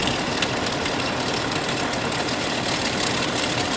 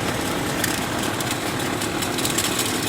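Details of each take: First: 1998 Chevrolet Cheyenne K2500 idling with a noise under the hood and a flickering battery light: through a stethoscope the AC compressor gives a steady, even whir with no grinding and is much quieter than the failing alternator; compressor normal. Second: 1998 Chevrolet Cheyenne K2500 (GMT400), flickering battery light, at idle under hood: constant dry whirring rasp, less at AC compressor and power steering pump; output voltage tests fine; likely failing alternator bearing, alternator replaced.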